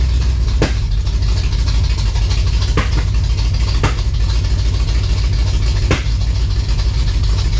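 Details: 1956 Chevy V8 hot rod, first runs after revival, high-stall converter; loud uneven idle with an irregular stumble in the beat, a miss that comes and goes; cause not confirmed.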